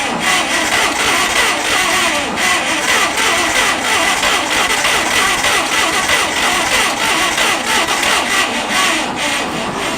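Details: Abandoned Farmall 460 tractor with updraft carburetor and weak battery: uneven sputtering crank around ninety beats a minute that never catches into a steady run; owner suspects fuel starvation and says a carb kit is needed.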